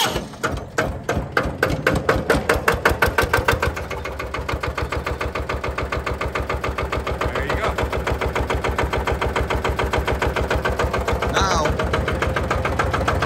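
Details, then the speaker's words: Single-cylinder Lister diesel on a Benford TS25 radial swing concrete buggy, key-started out of gear with parking brake on, old leaking tractor tires. Loud, evenly spaced thumps about three and a half a second, steady once settled; runs healthy. "And it's a single cylinder Lister diesel. It's gonna get really loud, listen."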